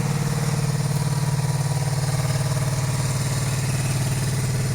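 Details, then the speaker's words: 1982-83 Honda V45 Sabre V4 after valve adjustment and ultrasonic carb cleaning, cold at full choke: steady lumpy idle, starting on just two cylinders, others join once warm; cause unknown, spark plugs or ignition coils suspected. "it did when I did start it it did start on just two cylinders again so I don't know what that is"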